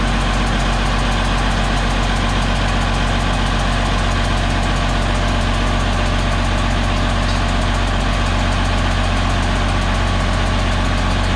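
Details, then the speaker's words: DT360 diesel with newly installed P7100 injection pump, first runs: loud, slightly high idle with a steady chuffing pulse about four times a second; number 5 injector not seated, blowing compression past its seat. "I'm feeling air back there, but I don't know where it's coming from necessarily. Like it's not. Unless that injector didn't seat properly."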